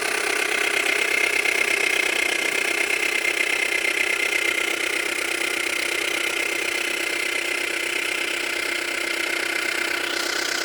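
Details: Subaru Tribeca B9 EZ30 engine; steady ticking knock about three per second, appeared from cold, persists when warm, grows with rpm, occasionally clicks and vanishes then returns; oil level fine, owner suspects chain tensioners; engine knock.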